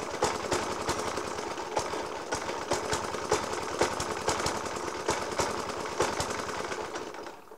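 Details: 1991-era Suffolk Punch 30S mower with Dellorto FCH 20 carb, after new spark plug, decoke and carb clean; hard uneven bangs several a second through lumpy idle; rough idle with heavy banging, cause not pinned down.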